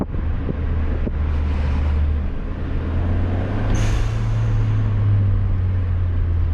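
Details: 2021 Hyundai Sonata N Line with a universal HKS SSQV4 blow-off valve on an ADD-W1 adapter plate, after install: engine pulls under load, then one sharp whoosh as the throttle closes; it vents cleanly, with no check engine light or codes.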